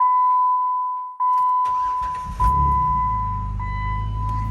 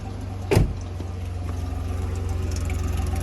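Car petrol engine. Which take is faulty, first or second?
second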